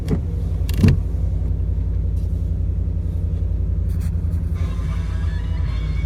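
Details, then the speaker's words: 2008 Ford Expedition after a throttle body install and reset, following a test drive with no surging. Steady, even low rumble with no hunting. No warning lights or codes. Normal idle. "See, it's running pretty smooth."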